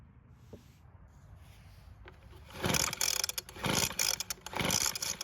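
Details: Weed Eater two-stroke leaf blower pulled on choke: three quick pull-cord rips about a second apart with no firing pop, so the engine turns over but won't start; it is suspected flooded.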